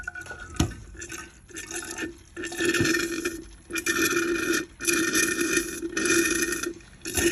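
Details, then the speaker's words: DeLonghi espresso machine stuck in a descale cycle; pump buzzes in short uneven bursts about once a second with watery gurgling, pushing little water to the steam wand. Suspected weak pump. "the pump doesn't let the water pump from the tank to the steam wand it's pumping a little bit but not enough and now it's back to the same thing"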